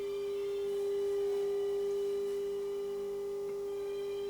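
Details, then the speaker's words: HMV 2400 Stereomaster stereogram amplifier during overhaul, fed a 400 Hz signal generator at the input. A clean, steady tone with faint hiss comes through fine on this channel, with slight volume-control noise; the other channel fails. "we've got 400 hertz there and you can hear [Music] that's coming through fine"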